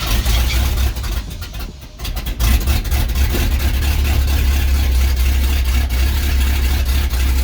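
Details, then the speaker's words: 1991 Mustang GT V8 after injector rebuild, mid pipe not fully bolted up: loud, deep lope, stumbles early then holds a lumpy idle; owner suspects it needs more ignition advance, exhaust leak at header flange. "hey gotcha say no no come on now i think she needs some more advance"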